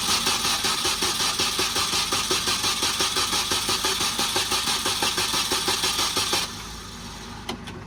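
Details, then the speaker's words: Supercharged Mini R53, first startup after engine refit: even starter cranking about three beats a second but never fires; fuel at an eighth, priming the fuel pump and removing the battery charger for faster cranking suggested. "Not looking great so far. Maybe charge the fuel pump a couple of times."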